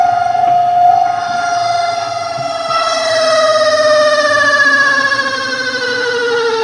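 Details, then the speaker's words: Spin dryer (spinner motor) spinning: a loud, steady, high squeal whose pitch slides slowly downward. Brakes were checked and sit clear, the basket isn't swinging to the sides, and the seal looks fine. "तो आपने देखा कि इसकी बहुत ज़्यादा आवाज़ है। मैंने इसकी ब्रेक्स वगैरह भी देख ली है, ब्रेक भी इसकी अलग है"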